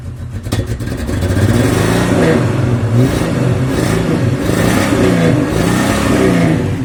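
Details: Jeep XJ Cherokee 4.0 six-cylinder after hosing the engine bay: rough revving that wavers and sputters from misfire caused by water in the distributor; towel drying fixed it.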